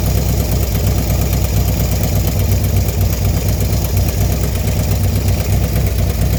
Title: Clicking noise after installation of 110 kit 6/2/19